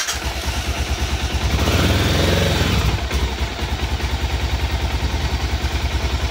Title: BMW F650 stalling on throttle power